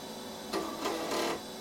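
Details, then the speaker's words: Compaq Proline 4/33 486 PC, not powered for over ten years, booting: repeated chattering buzz from the floppy drive over fan hum as the heads step back and forth. Floppy drive failing to read, alongside a hard drive failure. "So we've got the hard drive failure there. That floppy drive is not happy, is it?"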